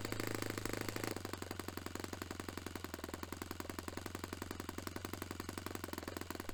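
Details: Restored Saito FA-45 Special glow engine on a test stand, 10% nitro fuel, warmed up. A crisp, steady high-revving buzz holds evenly without stumbles at a peak near 10,260–10,300 rpm, matching the manual's 10,300. Normal running at peak rpm; top end richened slightly.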